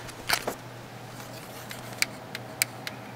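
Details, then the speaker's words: Mitsubishi F4A33/W4A33 automatic transmission shift solenoid A/B bench test with 12 V: a few faint, sharp tiny clicks, partly spark at the connector, no steady buzz; weak solenoid click. "here tiny little click some of that click is actually the spark from completing the circuit inside my connector here tiny little click"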